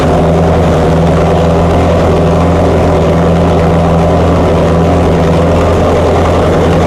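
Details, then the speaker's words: Chrysler 440 Six Pack V8 with rebuilt triple carbs: loud fast idle with rough, uneven drone; water-bottle test finds cold exhaust pipes, two per side, four cylinders not firing; carb or other cause not yet known. "Nick uses a water bottle to check that the engine is firing on all eight cylinders he finds two cold pipes on the passenger side and two more on the drivers four cylinders are not working"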